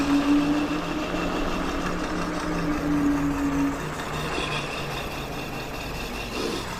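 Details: Wolf King GTR electric scooter while riding: a loud droning hum, like a train, comes and goes over motor and road noise. The rear disc is suspected of rubbing the pads, either bent or with the wheel out of alignment.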